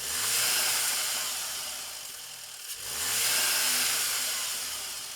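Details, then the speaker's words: Volkswagen Golf R, standard apart from resonator delete, with Turbosmart VR1 recirculation valve fitted one week, stationary revving: rising then falling pulls with faint fluttery chatter on throttle close; normal recirc valve flutter, not turbo. "I can hear a little bit of flutter, and it's the recirc valve fluttering and not the turbo, by the way. I can hear it with the radio down pretty clearly."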